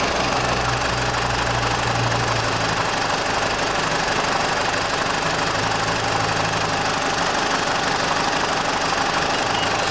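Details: 2004 BMW 318i after thermostat replacement, warming up at idle waiting for the cooling fan: steady, even idle hum with no knock or misfire; healthy engine warming up.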